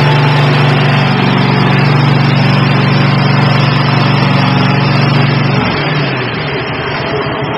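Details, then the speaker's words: Kohler Courage 22 V-twin on a Troy-Bilt Mustang zero-turn mower, after refitting the fuel pump pulse line; strong, steady, even drone, then smooth wind-down at shutoff; normal running. "but it's connected now and it's together and she runs fine I'll fire her up so you can hear it"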